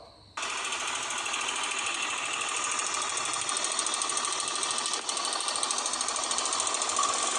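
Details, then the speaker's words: Honda CBX 250 Twister at idle, still running normally with no power loss: loud, fast, shrill metallic chatter; slack cam chain slapping because the tensioner lock failed. "Então você viu aí um barulho, né? Um barulho bem forte, estridente, um barulho até alto."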